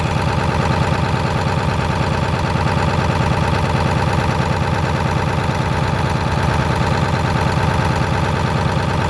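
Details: Ford 7.3 diesel with blow-by, fitted with twin pyrometers: deep idle chugs unevenly at about three pulses a second with a lumpy beat instead of a smooth run. Rough idle.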